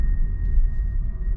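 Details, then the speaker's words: MG ZS EV while driving: a thin, steady seatbelt reminder chime over low road rumble, falsely sensing a passenger in the empty passenger seat. "also a chime will start in a minute because it's saying that there's someone in the passenger speed seat despite there being no one in the passenger seat"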